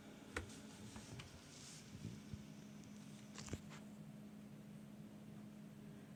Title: My PC, but CPU fan is noisy after it's been restarted again.